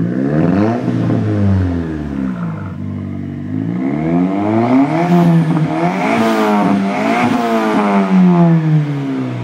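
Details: Toyota Tercel with rebuilt 4E-FTE turbo swap, metal head gasket (190 psi compression all cylinders), near 3-inch exhaust with catalytic converter; crisp revs climb and drop smoothly, even exhaust note, no knock or rattle: normal revving.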